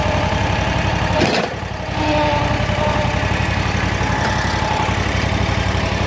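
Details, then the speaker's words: Kawasaki FX801V V-twin on a Kubota zero-turn with 400 hours, cold start at idle, after a valve adjustment: quick, uneven light ticking over a steady low thrum, more valvetrain clatter than an FH721; cause unclear. "compared to my old FH 721 Kawasaki this one seems to notice we have more valvetrain clatter or ticking noises"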